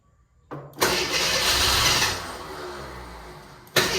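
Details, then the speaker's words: AMC Eagle with new starter, water and transmission fluid leaks; starter whirrs, engine catches briefly with a rough burst then dies, won't stay running though fuel pump confirmed working. "Oh, it doesn't want to stay running. This is, the fuel pump is working."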